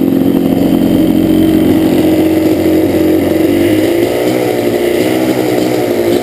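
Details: Yamaha Banshee two-stroke twin idling rough on one cylinder: terrible misfire on the left cylinder, its pipe not even warm at idle, despite rebuilt carbs, an attempt to balance them and adjusted air screws; problem does not follow the plug.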